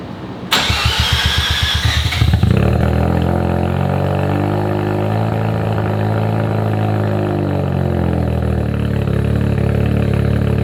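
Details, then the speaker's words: Abandoned Mazda RX7 rotary with new full exhaust, untuned with no timing: starter whirrs, engine catches, flares and settles into fast steady buzzing idle set too high. "It's idling rather high, but I don't r"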